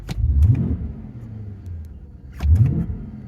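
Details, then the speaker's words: 2008 BMW 750i, bought as a crank-no-start, now running: two quick throttle blips rise cleanly and drop back to a calm idle with no stumble; it revs freely, though the owner mentions a tip-in hesitation. "Well, it's not doing it now, but it's running."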